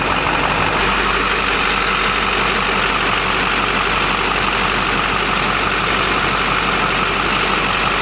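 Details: 20-year-old Duramax diesel pickup, recently new injectors, cooling system just opened and topped off, sat a while; steady even idle clatter, no misses, knocks or whistles; normal idle.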